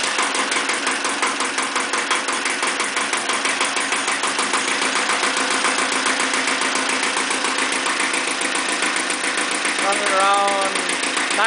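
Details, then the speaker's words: Iseki TX-series tractor diesel, blow-by check after fitting a foot throttle pedal: even, steady diesel clatter at a relaxed idle with regular firing, no misses or knocks; some blow-by, but owner calls it a good running engine needing no work. "but it's a pretty good running engine and regardless of the blow by it's i'm happy with it and i don't think it needs any any further work"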